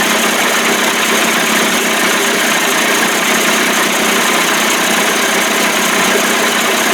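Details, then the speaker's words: 1989 Johnson Tracker 25 hp outboard warming up on restart: smooth even buzzing idle, steady speed, no misses or knocks; old cracked p-tube leaking at connection; owner suspects fuel pump may not be drawing fuel. "[Music] the p-tube is leaking at the connection because it's old and cracked warming up pretty good sounds great"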